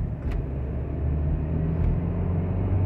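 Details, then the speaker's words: 2013 BMW X3 driving straight at a steady 45–60 mph: deep droning groan. Scope microphones on both rear wheels show the passenger-side rear much louder, so a worn right rear wheel bearing, not the front. "a groaning noise while driving when it got dropped off i quickly went for a test drive up and down the street and i can right off the bat tell that it was not in the front as far as the noise but yes it was a wheel bearing type noise"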